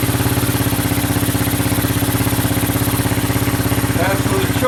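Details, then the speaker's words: Honda 200SX field find on carburetor with pressurized external gas tank, idled down, in neutral: small single putters at a quick steady beat, about three pulses a second, no stumbles; normal healthy idle, sounds really good. "but yeah really really sounds good very good so that's a good end of a day"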